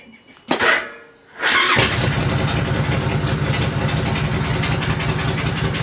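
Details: 2005 Suzuki C90 Boulevard 1500 that earlier cranked without seeming to get spark or fuel (a loose connection was found later): a brief sluggish burst, then it catches and settles into a steady, evenly loping idle. It starts and runs normally.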